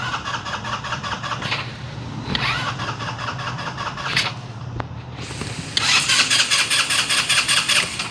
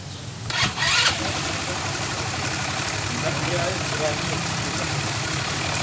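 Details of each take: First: Scooter engine: repeated fast cranking, a brief catch, then more cranking without a clean start; hard starting, which the owner attributes to liquid gasket maker on the intake manifold failing under intake pressure, replaced with a DIY folder-material gasket. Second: Engine after intake manifold gasket replaced with DIY folder gasket instead of liquid gasket maker that caused hard starting: brief start-up blip then steady even idle, no misses or hunting; normal idle.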